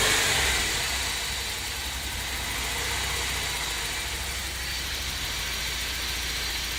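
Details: BMW E30 318is idling after the idle control valve was cleaned: steady low throb under a loud hiss with a slightly uneven beat; still a rough idle, cause not yet found.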